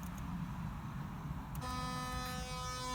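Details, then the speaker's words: Engine cooling fan under MS3 Megasquirt PWM control at the highest frequency and 10% duty: a steady buzzy electrical hum with no spin-up. The motor is powered too weakly to turn the fan. "you hear that noise and it's not even able to drive the fan at 10 you can certainly hear the motor"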